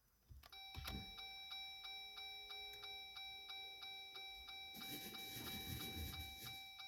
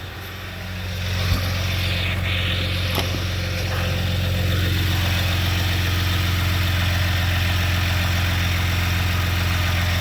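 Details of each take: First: 2021 Jeep Gladiator EcoDiesel after a fuel filter change, key-on priming: a steady ticking chime over a faint pump hum, then a rushing hiss as the fuel pump primes and pushes trapped air out through the return. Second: 2021 Jeep Gladiator EcoDiesel, 18 months old, first start after fuel filter change and air purging: steady, even diesel idle with a smooth low drone, no misses or knocks; running cleanly, no leaks found.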